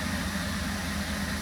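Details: 2017 Holden Commodore SV6 LFX V6 after oil, filter and spark plug change: smooth, quiet, even low hum at about 500 rpm idle with no knocks or ticks; running beautifully.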